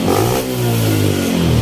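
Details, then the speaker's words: Yamaha Spark 135 after a major service with a new carburetor replacing the old one, new spark plug and water pump work; throttle blips give a clean, even rise and fall with no stumble, ready to use. "เร่งขึ้นดีอะไรดีหมดทุกอย่างนะครับก็พร้อมใช้นะครับ"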